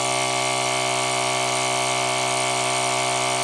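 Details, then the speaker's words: ZD-915 desoldering station vacuum pump after the fan swap, measured at 11 volts across the pump diode before being raised toward 12.5 volts. An even, steady buzz with a low hum holds about three and a half seconds, then cuts off cleanly; pump running normally. "so we should see the voltage going through the pump when I actuate it that's 11 volts"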